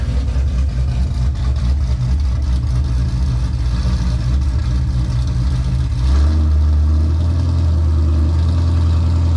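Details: 2005 Pontiac GTO back from the track: deep steady V8 drone with even firing and a small rev rise midway, no knocks or ticks; engine healthy, while the car slips above 4–5 mph from a rear differential fault.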